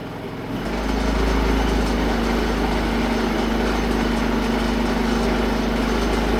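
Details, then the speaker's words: Predator 3500 inverter generator, warm, switched from economy mode to regular mode: engine note steps up to a steady, even, higher-speed smooth hum; normal running. "See if you can hear the difference going from economy mode to regular mode."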